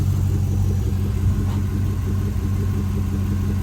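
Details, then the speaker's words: 2011 Camaro SS V8 started after an oil change and reinstalling the stock factory airbox with a machined vacuum-line adapter. It gives a deep, even idle rumble with no misfire, ticking or hiss, a healthy idle. "All right, she's running. It didn't blow out of there. Everything's hooked up."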